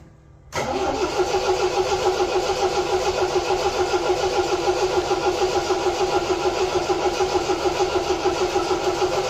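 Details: 1975 MGB four-cylinder: cranks, catches at once, settles into even, steady beat with no misses; firing on all four cylinders; smooth running.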